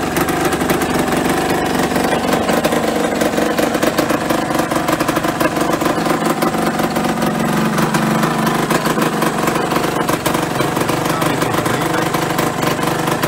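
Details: Yamaha RD125LC two-stroke, stood 17 years, first run after revival (oil light on): busy even idle with crisp ringing rattle, no stumbles or dying; engine running okay.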